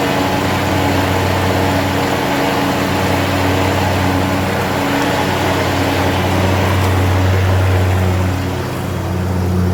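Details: John Deere zero-turn mower, heavy commercial use, after fixing both blades: even drone of engine and spinning blades with no intermittent clatter; normal blade engagement, noise gone; possibly bent spindle or worn deck suspected as the cause.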